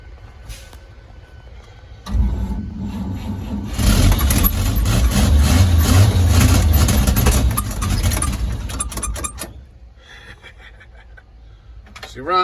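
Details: 1948 Chevrolet 3800 dual-wheel stake bed truck, long parked, start attempt: cranks, catches and settles into steady, even low rumble before shutoff; old six sounds healthy, normal idle.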